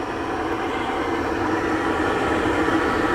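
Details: MasterTemp pool heater after new gas valve installed, gas pressure checked with manometer around 7–10 inches water column: steady even blower whoosh, no buzz or rattle through start-up cycle; normal start-up.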